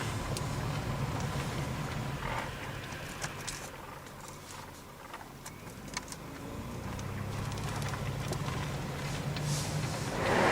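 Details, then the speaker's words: 2007 or 2008 Chevy Impala with recently replaced cheap wheel bearings, driving and swerving to load each side: low steady droning hum like winter tread, probably louder on right front, fading as car slows; suspected wheel bearing, unconfirmed. "not sure if your hair this kind of sounds like a little bit like a winter tread probably louder on the right front"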